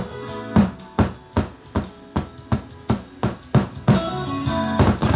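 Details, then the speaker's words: LuxKit A3400 vintage tube preamp, kit built by a beginner, after another shop fitted a new volume control: sharp thumping pops about three a second over a faint hum, louder at minus five; a popping fault, poor solder connections seen inside, exact cause unconfirmed. "every time you switch it and when you switch the controls [Music] when I go down to minus five listen how much louder it pops up"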